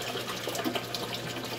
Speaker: Well, as you can hear, they're noisy. They splash water around. They do airate the system.